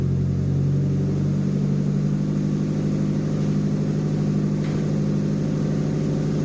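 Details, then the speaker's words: JDM Nissan Pulsar GTiR after reconnecting a previously unconnected vacuum pipe, freezing cold evening: steady, even, smooth idle with no dropouts; sounds better, owner says not out of the woods yet, occasional spits and excess fuel noted. "don't no out in the woods yet but it does sound better"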